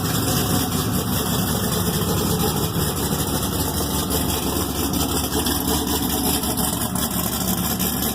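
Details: Thelma, an Exile Fab frame rig with an LS3 V8, 208 Motorsports harness and Reid SH400, on its first start after the rebuild. Deep, even burble at a steady idle with no misses, knocks or ticks. Normal idle.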